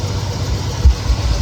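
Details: 1969 Chevelle SS big-block V8, sat 37 years, now running rough: deep idle stumbling with irregular heavy thumps. Exhaust temperatures uneven (about 318–500) across pipes; one cylinder is cooler. Owner plans to check carburetor for debris, fears a lifter or valve issue. Rough idle with misfire.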